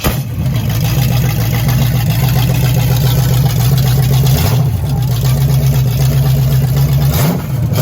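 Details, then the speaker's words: Rebuilt 1987 Chevy Caprice 305 small block V8, first start on gravity-fed carb with open headers: loud, deep, even uncorked rumble, steady with brief rev dips; running healthy. "So running it with open headers kind of made a lot of noise, and my daughter wanted to come out, so did my wife, to try to hear the engine run for the first time."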